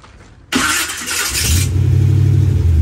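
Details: Engine with a replacement Holley Sniper EFI unit: a sharp start-up burst, then a low uneven rumble that never settles to a clean idle; it catches and falters, the new Sniper didn't fix it, and the distributor or CDI box is suspected.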